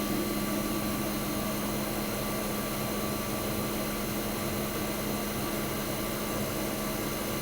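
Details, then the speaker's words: 1965 Fedders Weather Wheel 12000 BTU air conditioner, first spring 2023 startup: steady even hum, constant compressor tone, smooth fan rush, no rattles or surging; suction line ice cold, discharge hot, air ice cold. Running healthy. "She is as happy as anything, guys. Just listen to that beautiful sound."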